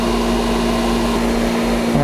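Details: Whisper Flo 2 hp pool pump with newly installed Sentry replacement motor, after priming and air bleed: steady even hum, constant tone, no rattle or grinding, spinning down smoothly; running normally.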